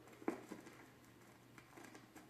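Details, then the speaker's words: Vinyl record playback on a turntable before cleaning with a Spin-Clean MK II record washer: scattered random pops and ticks over a faint steady hum, surface crackle from a dirty record; owner finds it worse on home stereo. "My main turntable definitely picked up, I'll do it one more time, picked up a lot more crackling sound."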